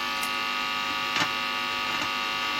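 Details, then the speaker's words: 1960s record player with a modern cartridge driving a small development amp directly, powered by a poorly filtered supply: constant buzzy mains hum through the speaker with faint crackles, interference from the supply feeding into the amplifier. "if we connect my power supply back up to the amplifier obviously unfortunately probably still going to get some horrible noise or i have tried to switch off anything i can switch off um [Applause] so it's still pretty bad but"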